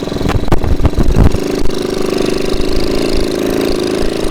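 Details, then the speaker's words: 1969 Honda CT70 small single-cylinder, bought as a non-runner and just revived, choke opened; after a few rough catches it settles into an even, steady low putter with no knocks or rattles, a healthy idle. "Listen to how nice that sounds."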